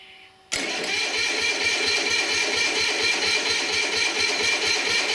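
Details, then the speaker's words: Onan diesel generator, sitting unused 20-some years, start with no warmth felt on a doubtful battery: starter drags it over in heavy, uneven banging thumps about two a second without catching; owner thinks it is pulling the battery down. Cranked better on a charger. "all that banging is just really apparently it's drawing the battery down so hard"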